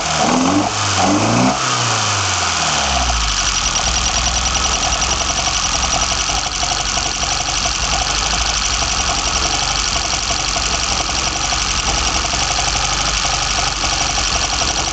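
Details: BMW 318i M10 engine, first startup with sidedraft individual throttle bodies fitted: two quick blips rise and fall cleanly, then steady even idle with lively intake roar, no misses; a slight whistle was noted afterward.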